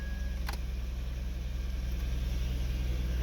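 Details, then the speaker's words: 2011 Ford F150 at idle with the AC set to full cold after replacing the blend door actuator: steady blower hiss, cold air, and none of the dash clicking the old actuator made at full cold. "he got all the way on got cold air blowing it feels good because it's hot"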